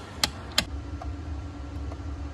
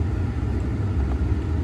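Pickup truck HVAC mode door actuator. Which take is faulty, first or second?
first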